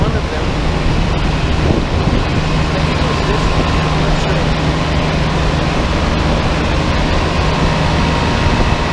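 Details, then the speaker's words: Giant Trane Intellipak rooftop unit on a roof, GoPro near compressors: deep steady hum with constant low drone over wind, no clanks or rattles, one large Trane scroll compressor just started, running normally and loud. "yeah it's just this one compressor here that turned on i guess we'll wait for the others pretty loud"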